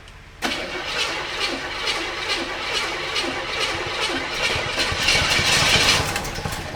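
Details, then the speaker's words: 1985 Chevrolet K30 CUCV after swapping out the 6.2 Detroit diesel, first start of the replacement engine after wiring fixes: rough start with sharp pops, backfire, heavy smoke and an uneven chuffing idle; blown head gasket. "Lot of smoke. All right, let's go. That's a head gasket."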